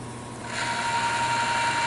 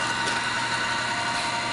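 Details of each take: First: Woodward bead roller newly fitted with a power feed motor, no guards; thin whirring tone dies away about a second after switch-off as the drive rolls on a little, owner unsure if it coasts under load. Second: Woodward bead roller fitted with an added gear-motor power feed, hand crank still attached, running unloaded: a steady, even gear hum with a constant whine and no grinding or clatter. The motor runs smoothly and turns slowly.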